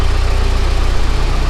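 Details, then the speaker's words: Volvo 745T after the turbo and exhaust manifold install and a swap to a replacement part: a steady, even idle at 900 rpm with regular low pulses and no hunting or surging. "it runs absolutely amazing check out those rpms 900 rpm that's that's right where this car should be idle's perfect idle's absolutely perfect now sounds great"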